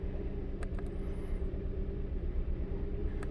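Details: Kia Rio, 172,000 miles, flashing check-engine light, coils/plugs reportedly done elsewhere: low uneven idle with irregular lope, one cylinder dropping out — engine misfire at idle; piston ring problems suspected.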